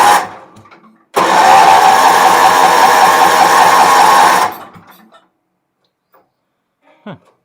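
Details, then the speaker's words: Wheel Horse 308-8 garden tractor cranking with choke closed and fuel filter full and dripping heavily: steady churning crank for about three seconds with no firing pulses; turns over but won't start, tank to be drained. "wonder why she won't start it was acting like it wanted to it's cranking over there's gas in the fuel filter which is dripping like crazy"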